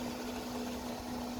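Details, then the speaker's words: New bilge pump on 1960s boat under restoration, test run with water added to the bilge: steady, even motor hum at one constant pitch with no rattle or labouring, sucking water up; much better than the old pump. "boy it's sucking that stuff up oh yeah that's much better than the old one that's really motoring"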